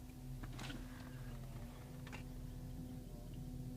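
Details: 2008 BMW X5 E70, noise from dash only with blower fan on low, stops when fan turned off: steady fan hum with sharp irregular ticks every second or two; blower fan ticking.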